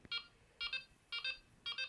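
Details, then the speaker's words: Delkim bite alarm with a poorly gripping battery terminal: repeated short bursts of high beeps, about four bursts in two seconds, as the unit keeps restarting; loose battery connection, fix by squeezing the terminals for firm contact. "A lot of little misdemeanors and odd problems are just really through bad battery connection. So if it doesn't connect properly, you'll get it."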